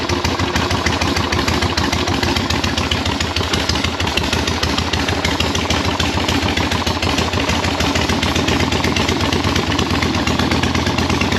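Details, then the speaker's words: 1976 Harley-Davidson Ironhead V-twin, first start, with the air filter off and penetrating oil burning off the heads: loud loping idle with some valvetrain clatter, holding steady; normal idle. "I'm just happy that it runs at a halfway idle"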